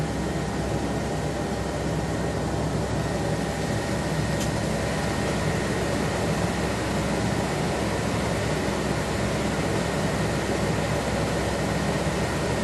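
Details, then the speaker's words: 1976 Corvette restomod with Holley Sniper EFI, ignition on, engine off, fuses 4 and 5 pulled: steady, even rushing whoosh with no engine beat; electric cooling fan still running, no fuel pressure, cause unconfirmed. "I'm wondering, was 5 the transmission controller? Still getting the fan."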